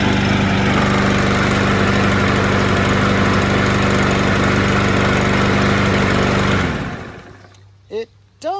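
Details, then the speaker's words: Curbside-found mower with auto choke, black oil and gas, first start: it hums with an uneven, wavering beat before shutting off and sounds a little rough. Fresh gas later improved it. "sound a little rough I was just about to roll it into the back but I think I might have to work on it"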